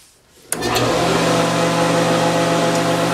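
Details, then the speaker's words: Woodworking shaper after repair, spindle reinstalled, running without cutting: motor spins up to a steady even hum with light belt whine, no rumble or rattle; smooth running, bearings sound healthy. "yes much better that's better good smooth running now yeah now you just hear the belt whining and stuff"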